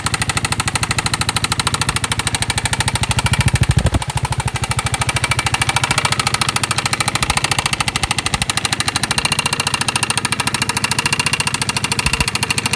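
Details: Piaggio MP3 / Vespa GTS 250 scooter engine running: loud, rapid metallic knocking about three per second over the engine; origin unknown.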